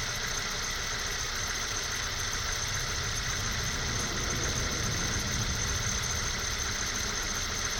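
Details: 1998 Honda CR-V at cold idle, thin steady high-pitched squeal only when cold, worse below -5C, absent when warm; owner suspects a condenser pump pulley, belt-driven accessory possible, unconfirmed.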